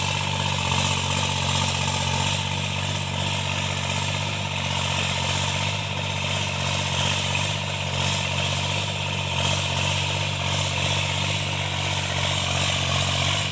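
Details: Tractor diesel cultivating under load after an engine knock was repaired: steady, even drone with no knock or rattle; sounds healthy.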